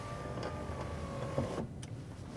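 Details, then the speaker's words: Power window: steady electric motor whir with a thin constant tone cutting off sharply; still works but sounds wrong, owner suspects it is sticking and may break; not yet opened up. "still works fine but it doesn't sound quite right I think that maybe it's kind of sticking or something and I'm concerned that if I don't open it up and take a look something will break there"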